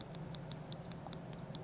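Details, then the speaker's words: Spinning fishing reel oscillating: crisp regular ticking about five clicks a second as the crosswind block post catches in its channel, louder at higher speed. "now when it comes to the post interacting with that channel you will see that I can move this up and down and when I'm doing that this is the sound is"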